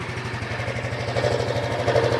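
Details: Honda Biz 125 EX, about 2,900 km and three months old: steady idle with a faint catching scrape that comes and goes; owner insists it's abnormal, mechanic said it was nothing.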